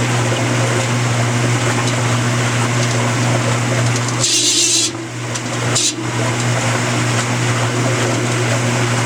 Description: My Amana washer is making this terrible screeching sound.